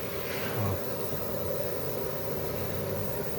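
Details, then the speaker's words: Rear wheel spinning, left (driver's) side: steady droning hum with a gritty edge; suspected worn wheel bearing, not confirmed; oil mark also seen near the rear, wheel cylinders to be checked on disassembly. "Aí, ó. Olha o barulho do rolamento,"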